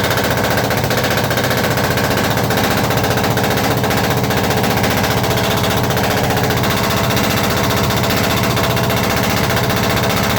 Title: perkins engine 1103 GT intek manifold misfire problem #shots